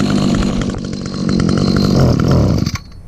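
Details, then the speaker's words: Trimmer almost 30 years old, started on choke and primer with little fuel in the tank. The buzz climbs, then stumbles and sags as the throttle opens. Gets a little boggy, cause unstated, though it otherwise runs good. "Oops. Getting a little boggy there. Oh yeah, runs good for a trimmer that's almost 30 years old."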